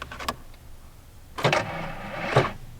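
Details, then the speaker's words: Ford Ranger with a rebuilt transmission, in storage with a major oil leak, cranked on a crusty old battery hooked to a vintage Sears charger: two short, sluggish starter bursts that turn slowly without catching. The battery is too weak and may need more charger time. "Ooh. Ooh. She's weak. One more time. A little more time on the charger, I think."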